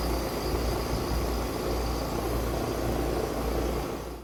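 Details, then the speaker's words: Outdoor AC condenser unit after an owner-replaced capacitor, powered back on with the thermostat set to on: steady low hum and even fan rush, no rattles or buzzing, the fan running normally, showing the repair worked. "the fan on the AC turns on, congratulations. You just fix the AC."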